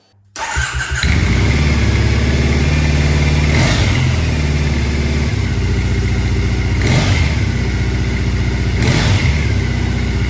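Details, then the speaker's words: Triumph Bonneville SE 865 with standard silencers, started in the garage: catches at once and settles into a steady, even, fairly quiet twin-cylinder idle with no knocks; normal stock idle before fitting D&D Predator silencers. "so that's what she sounds like as standard"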